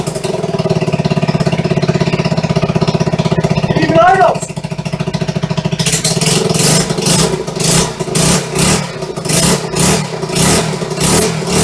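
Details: 1974 Honda XR75 first start after two-year restoration, on non-ethanol high-octane gas, choke then cut: single-cylinder thump into steady idle, choppier blips with throttle; engine running normally.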